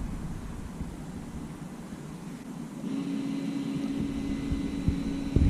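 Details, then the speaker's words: Nissan Qashqai rear brake caliper electric parking brake motor, released with a scan tool in maintenance mode for a pad change. A steady, low, even-pitched whir as the piston winds back. Normal electric parking brake motor retracting. "that hopefully winding back okay yep let's have that off"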